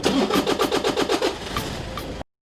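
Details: Toyota Innova after starter system repair: even starter cranking about four to five beats a second, then engine fires and catches cleanly; starter engages properly. Normal cranking and start.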